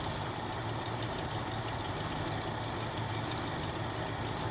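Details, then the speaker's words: 1966 Jeep Gladiator running for the first time in 24 years, with the idle turned up while carburetor mixture screws are adjusted by flathead screwdriver: a low, uneven idle that wavers and stumbles rather than settling. "It's stumbling."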